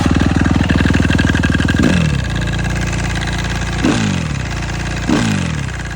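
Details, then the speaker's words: Suzuki RM-Z 250 single-cylinder motocross bike revving on a ride: quick irregular metallic clatter about four a second over the engine. "les gars je faisais un tour de décan et là un bruit chelou au niveau de mon moteur"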